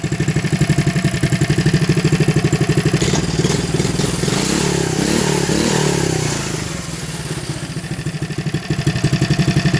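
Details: Coleman CT100U minibike single-cylinder, with new carburetor, tank, fuel lines, filter and header pipe with silencer, starting on one pull despite janky throttle: putters evenly about four firings a second, revs briefly, settles to steady idle; normal running.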